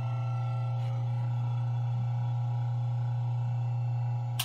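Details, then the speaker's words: ILG Model 123 XQ explosion-proof fan motor after a rebuild with new bearings, cleaning and new winding varnish. It runs with a steady, smooth, low hum and no bearing noise, only a faint centrifugal switch rub, then clicks off. "no more bearing noise you probably faintly hear the centrifugal switch"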